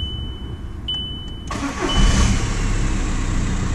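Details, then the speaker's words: 2006 VW Golf 1.9 TDI (BKC) after cam timing was corrected for extended crank and P0341: brief crank, then the diesel catches almost at once and settles into an even, steady clatter, a quick normal start confirming the fix. "wow we first go beautiful absolutely beautiful"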